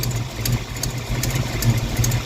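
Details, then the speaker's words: Ford 302 V8 Mustang at warm idle after the dead cylinders were corrected: even, steady low rumble with no misses, all eight cylinders firing and heating evenly; idle slightly low and sluggish with an exhaust leak audible; normal idle. "all right I think we're back to normal I already checked the other side and uh they're seem to be firing normally so I think we're back to normal"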